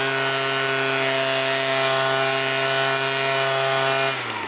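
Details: Leaf blower after carburetor adjustment, with both jets out 1½ turns and the low-speed jet out another half turn: a smooth, steady high buzz at full throttle with no bog, then a clean pitch drop on releasing the trigger. It is running healthy.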